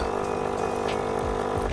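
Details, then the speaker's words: KRUPS coffee machine after leak repair (new piston seal) and error reset, warming up: even steady low pump hum with water trickle, hot water coming through, possibly flushing or draining; normal pump operation. "And as you can hear, it's cycling now. I think it's flushing the unit out or draining."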